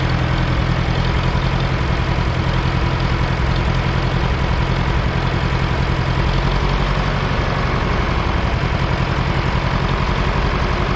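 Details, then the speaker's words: 1968 John Deere 500A diesel tractor (industrial 3020), parked over 10 years: uneven lumpy wandering idle, lacking power, dies on its own; rough unstable running, diesel dripping from injectors, owner suspects brittle rubber injector boots. "just acting like it doesn't have any power just dyed on its own"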